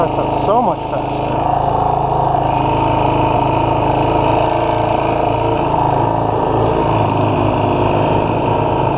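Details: 2016 Yamaha YFZ450R SE riding after the throttle position sensor was adjusted to 0.81 to cure a factory low-rpm/low-throttle bog: engine pulls cleanly with a steady note and no stumble or bog.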